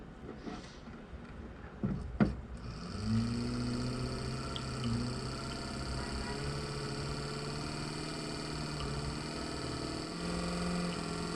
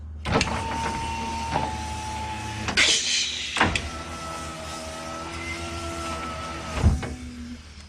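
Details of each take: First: Nissan Figaro's old, failed power window motor, before replacement with a 300ZX motor: low electric hum climbing slowly in pitch as it labours up to speed; worn motor, slow to spin up. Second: Nissan Figaro power window after replacing the failed slow motor with a 300ZX window motor: brief smooth motor whirs with a clean steady hum and soft stop at end of travel; window runs normally.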